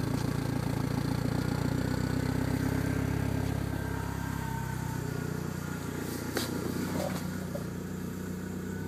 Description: Dsm misfire/lean idle and cruise